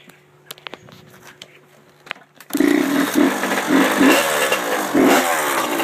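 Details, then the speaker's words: Honda CR85R two-stroke bike: starts after a few quiet clicks and runs raspy, with light ticking under uneven revs; no powerband, and coolant is leaking out; cause unknown. "cr85r um making ticking noises and it doesn't have powerband i'm not really sure what could be wrong with it"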